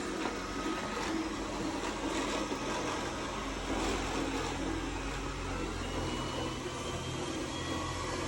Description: My Roomba S9 makes this grinding noise as it works. I’m wondering if it is something with the wheels or if it is just a common thing other people have with their room but S9 as well.